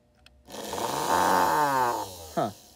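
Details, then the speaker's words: American Flyer whistling billboard after disassembly: small motor spins up to a buzzing hum and winds down with no whistle; motor possibly running backwards, suspected mixed-up wires. "i'm not sure why but it's not it's not whistling i have no idea why that could be unless maybe is it turning the wrong i think it's turning the wrong way maybe"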